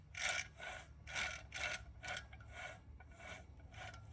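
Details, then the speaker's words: Hoover WindTunnel vacuum motor turned by hand on the bench: rough, gritty rasping swells about once a second; bearings badly worn from running without a bag, motor done. "Man, that's bad. That's a lot of wear. And that's just from running it without a bag on it. Yeah, that motor's done, unfortunately."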